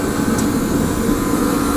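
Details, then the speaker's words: Torpedo heater with the fuel pressure adjusted, lit with a propane torch through the side holes: a steady, even burner and fan roar with no sputter or surging. Nothing else is wrong; only a new igniter is needed. "and it's running so that tells me that nothing is wrong else is wrong with this unit so if I get that igniter in it's going to be a good running functional unit"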